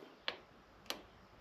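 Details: Buggy rebuild, fuel pressure about 50–55 psi, starter previously tripping the circuit; sharp single tick about every 0.6 seconds, no cranking, later found a relay out of place; starter not turning over.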